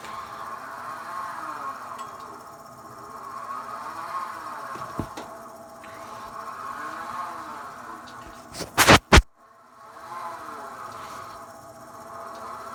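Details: Thelin Gnome pellet stove made before 2009, running on low or medium with a whir that wanders up and down in pitch; it does not work on high. Auger feed motor suspected, not confirmed.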